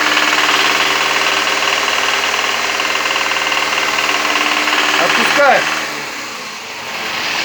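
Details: Toyota Camry (40 series): sharp, even knock about four times a second that appears when revved while idle is clean, loudest with a stethoscope at the oil pan.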